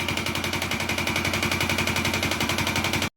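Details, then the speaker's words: Motorcycle engine at idle, listened to with a level-hose stethoscope at the cylinder and piston: hard, rapid metallic knocking, about fourteen a second, from a worn connecting rod (desvielada). "como vuelvo a repetirles como esta está desvielada se identifica Lu luego en breve [Música] y esta aquí se Oy el golpeteo aquí cilindro cilindro y pistón"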